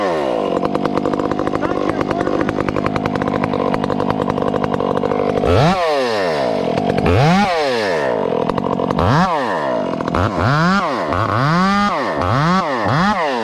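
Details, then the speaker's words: Chainsaw cutting small wood: steady high screaming revs dipping and recovering with each cut, slight four-stroking burble at top, judged acceptable; normal running under load. "listen to it run in small wood this is this is acceptable very acceptable you'll still hear it you little barking the four stroking but not much"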